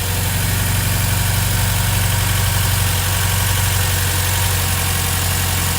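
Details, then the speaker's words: Volvo B20, idling after filling the fuel bowls: steady idle with a slightly uneven, hunting beat, no knocks; suspected slightly lean, pilot jet thought too small at 22.5, idle mixture needing adjustment. "sounds a little lean to me i'm not sure though it smells a little lean but i don't know if i know enough to know what that sounds like"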